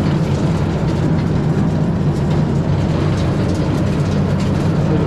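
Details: Long-unused wood chipper, which had something nesting inside, driven by a tractor: a steady low drone with the drum spinning up evenly and no knocks or rubbing. It runs normally.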